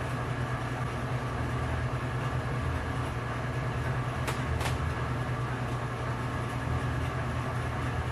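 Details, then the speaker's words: Metal lathe boring a hole in a chrome steel precision ball with a carbide boring tip: steady coarse hiss over the spindle rumble with no crisp cutting sound; tool is rubbing, not cutting, risking work hardening and a broken tip. "Hear all that noise? That's rubbing. It's not cutting."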